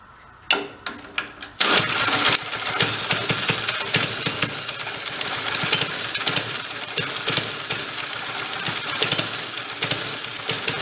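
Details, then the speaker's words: 1965 Corvair Monza SS go-kart (Rupp), small engine long unused, running rich, carburetor unadjusted: after a few pulls it runs rough with sharp irregular popping puffs, blowing out the side of the cylinder; head gasket is bad. "It is blowing out the side of that cylinder too. It's the head gasket's no good."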